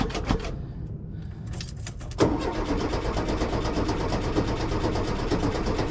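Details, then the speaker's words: 1973 VW Super Beetle that died while driving: strong, steady starter cranking about two turns a second with no catch; battery good, aftermarket Brazil-made fuel pump not pumping. "good H well the issue is not the battery clearly but uh something's not quite F pump is not pumping that's a whole other issue"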